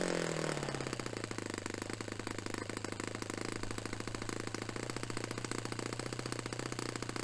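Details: Restored Saito FA-45 Special on a test stand, 10% nitro fuel, warmed up. A fast, even buzz holds at high revs near 10,260–10,300 rpm, against a manual peak of about 10,300, with no sagging or cutting out. Normal full-throttle run; top end richened slightly.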